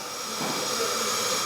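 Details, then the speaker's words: Hydraulic cylinder rebuild, compressed-air test of a needle valve: steady air hiss cuts off sharply as the needle seats, showing the needle closes and shuts off air properly. "So, that sound is uh you could hear that it's closing it and then the all the air is coming back to me. So, it's saying that this needle is able to go in and and shut off the air."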